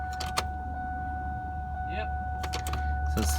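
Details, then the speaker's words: Mach 1 after a new fuel pump and filter were fitted in a gas station parking lot: a steady, even electric hum under clicks and handling noise as the pump primes. Fuel pump working normally. "it sounds like the pump's working. Yeah. Alright, well that was pretty successful."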